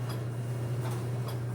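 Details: GE dryer running with a low steady hum and faint sharp clicks about every half second; front bearing assembly found completely shot.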